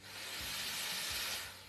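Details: Carico Clean Machine steam cleaner with ready light on and safety valve pushed fully left: steady, strong hiss of steam when the trigger is pulled; working properly.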